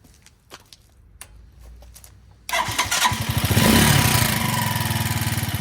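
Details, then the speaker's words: After carburetor cable adjuster loosened on a Janus Halcyon 250 fitted with a 28mm Nibbi performance carburetor, engine starts and settles into a fast, steady beat well above normal idle; idle racing, cause suspected, not confirmed. "Yeah, you can hear the idle is now racing."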